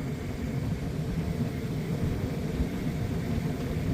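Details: Furrion Chill Cube Inverter 18,000 BTU RV air conditioner after reinstalling the thermostat, fan set to low: a low, even rumble of moving air with no rattles, squeals or scraping. The blower runs smoothly.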